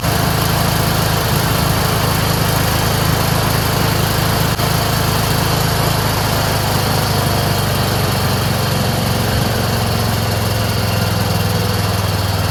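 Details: Craftsman 30" rear-engine rider mower, single-cylinder, after replacing a clogged fuel filter (carburetor not at fault; old fuel clear, no water): steady, even chug at constant speed with no surging or stumbling, now running properly.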